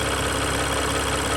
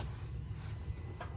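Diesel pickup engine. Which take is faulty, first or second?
first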